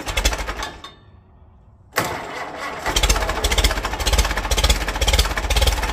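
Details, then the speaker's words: 1946 Case VAC tractor: engine catches after a pause and chugs unevenly at about two beats a second, stumbling; needs to clean out. "let her let her go have some all right it's going to need to clean out"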